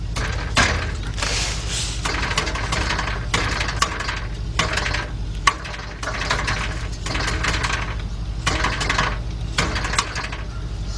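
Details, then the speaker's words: 2004 Nissan Maxima, tap test under car: sharp metallic clanks about once a second as exhaust is struck, each followed by a loose rattle; rotted, loose exhaust heat shield. "like something rattling toward the back all right let me go further back and see what we can find"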